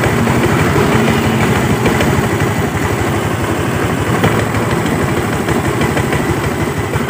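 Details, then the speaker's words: Automatic scooter at idle: steady low thudding about three knocks a second with the rear wheel creeping and no throttle; suspected fault in the CVT secondary pulley, such as clutch linings, bell, spring or damper rubbers. "jadi kronologisnya seperti itu kita teman-teman dengarkan ini saat stasioner ya Ada suara degdeg"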